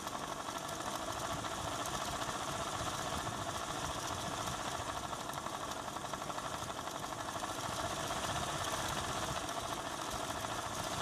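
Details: ADDA computer fan running with bad bearings, constant gritty rattle and faint whine; running better than before but still has bearing issues, worn fan bearing.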